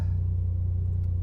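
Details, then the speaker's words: Mercedes C300 at an auction yard, about 130,000 miles, cold start. Loud, deep, boomy idle beyond stock; exhaust leak, needs exhaust work. "so she does need some exhaust work that's loud"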